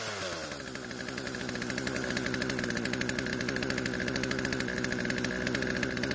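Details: Poulan chainsaw that would not start after storage, running after old fuel was drained from tank, lines and carb and fresh mixed fuel added: settles into a fast, busy buzz instead of a slow idle. Idle speed too high, chain keeps moving.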